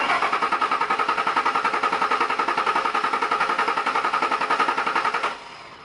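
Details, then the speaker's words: 2001 Ford Expedition 4.6L Triton V8 with a Walmart-reprogrammed spare chip key: the starter cranks evenly, about 3.5 beats/s for five seconds, and it never fires because the immobilizer does not recognize the key; the fuel pump and filter had already been replaced. "so as you can see there that's what this key that was supposed to be reprogrammed by Walmart and it obviously has not been"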